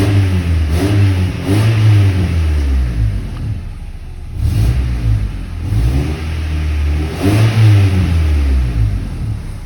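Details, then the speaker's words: Accident-damaged Honda Civic engine revving in gentle blips after warming up in a very cold workshop, heard from inside the car. White smoke is lessening, oil is black, plugs unchecked. Smooth, even revs, no knock, miss or vibration: healthy engine. "Pero bueno, esto es una gran noticia, que el motor está sano, se escucha muy sano, desde aquí dentro no hay ninguna vibración."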